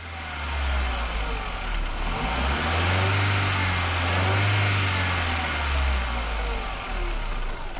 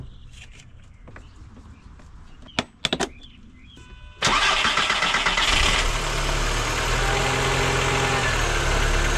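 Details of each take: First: 1999 VW Golf MK4 engine revving unevenly and rough under throttle with a lumpy, faltering note; misfire codes P0300, P0302, P0304, hard starting and poor idle traced to a bad mass air flow sensor, fixed by replacing it. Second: 1999 VW Golf MK4 after replacing the faulty mass air flow sensor: a few short clicks, then the engine fires and settles into a steady, even idle with no stumble or hunting; misfires cured, sounds healthy.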